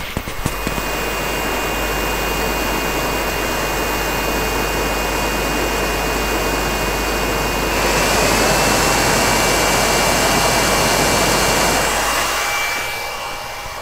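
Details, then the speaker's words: Riden RD6012 power supply cooling fan, mic close to fan, temperature sensor heated with a soldering iron: steady fan whoosh steps up in pitch and loudness as the fan switches from standby to high speed. "and so yeah sure enough if you heat up the sensor and the fan speeds up"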